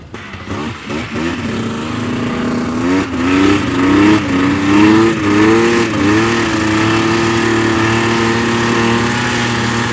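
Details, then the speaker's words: 1999 Yamaha VMAX 700 triple snowmobile, two-stroke, warmed up outside: idles well and pulls strongly at high rpm, but note wavers and sags through mid throttle: mid-throttle bog; plug check later shows one cylinder lean. "well seems to idle well it opened up real good when you get into the high RPMs but like mid throttle she's just [Music] bogging"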